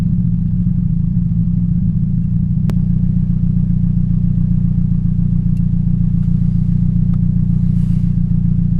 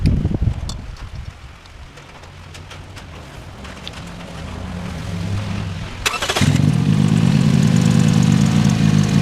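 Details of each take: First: 2007 Toyota Yaris 1.5L 1NZ-FE at idle. An uneven, lumpy, stumbling beat rides over a steady low drone. This is a cylinder 3 misfire from a bad ignition coil. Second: 2007 Toyota Yaris 1.5L 1NZ-FE, after new spark plugs and ignition coils to fix cylinder 3 misfire: engine catches after a few seconds of cranking and settles into a steady, even idle with no stumble or miss.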